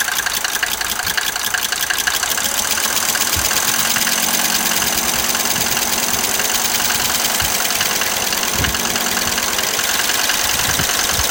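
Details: Mercedes 190D 2.5L diesel at idle: a rough, uneven rapid clatter near three taps a second with occasional sharper knocks. This is an abnormal engine noise of unknown cause.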